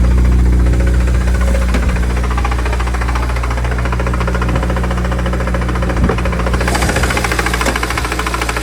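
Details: BMW N54 engine: loud steady fast knock about two hundred a minute over a deep drone; owner unsure whether it's a faulty AC compressor or rod knock.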